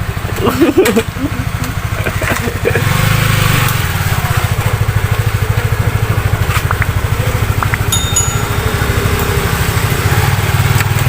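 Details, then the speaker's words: Yamaha F1Z R two-stroke engine reassembled after seizing from a worn connecting rod, after cleaning: handling noise, then a steady buzzing idle with an even beat and no knock; running normally. "Suaranya pegang-pegang tuh nggak serasa, tapi normal."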